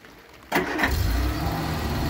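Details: Barn-find 1975 Vauxhall Viva project; short quiet spell, then engine catches at once and settles into a steady, even idle with no misses; starts and runs fine.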